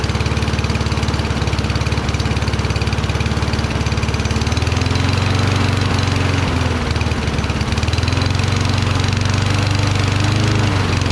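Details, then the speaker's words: Toro Recycler mower, Kohler XT675 engine, just after cleaning debris from carburetor bowl and pilot jet: runs slow and slightly uneven with a lazy beat; rpm very low, owner thinks throttle needs adjusting and suspects a faulty primer circuit causing hard starting. "well at least it started rpm seemed very low i think i have to screw with throttle"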